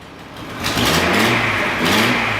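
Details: Datsun 240C after a dead spark plug was replaced, curing the misfire: the engine picks up cleanly from idle and revs smoothly twice with an even, steady note, now running on all cylinders; an exhaust leak remains.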